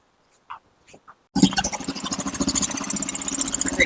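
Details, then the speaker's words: Royal Enfield Bullet 350 after a kick start, before repair, with a complaint of irritating ticking from the head after 1–2 km of riding: a fast light tick-tick over the thumping idle. Top-end tick. "सबसे पहले तो आप इस bullet की आवाज सुनिए कि कितनी गंदी आवाज इसके इंजन से आ रही है।"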